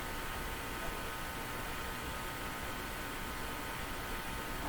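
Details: Eatons Universal Electrohome floor-standing tube radio, shortwave band check with calibrated test signal after AM band repair: only a faint, steady hiss, no tone or station; shortwave band not working, local oscillator suspected.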